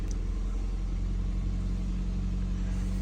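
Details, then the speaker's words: 2013 Toyota Corolla after fixing a crank-no-start: ignition coil wiring pinched by a bolt against the body had blown the fuse; wiring taped, fuse replaced, engine now starts and idles with a steady, even hum, check engine light on; normal idle. "गाड़ी को start करूं यह देखि गाड़ी start हो गई है check engine की लाइट सिर्फ आ रही है"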